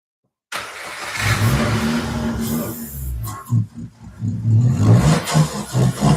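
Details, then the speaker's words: Nissan Altima running during a coolant drain and fill, with air bubbles pushing through the radiator hose: engine surges and sags unevenly about four times a second. Sounds like a bad misfire; cause unknown. "I don't know what the hell that is. It It sounds like a really bad misfire"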